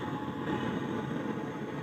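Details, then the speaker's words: Samwon AV-602USB/BT amplifier gives a loud, steady rushing noise with no music playing; removing the input to the main amp stops it, placing the fault in the tone-control/mic section. "maingay na maingay oh so try nating tanggalin yung input dito sa min titingnan natin kung mawala ba yung ingay na yan"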